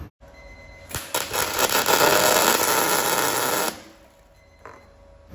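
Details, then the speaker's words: Welding on a Ford Escort RS1600i roll-over jig: harsh irregular spitting, popping crackle with heavy spatter because the welding gas bottle had run out; fresh gas restored the proper crackle. "And it was at this point we realised we'd run out of welding gas. That is why, if you hadn't heard that weld splatter like mad, you're about to"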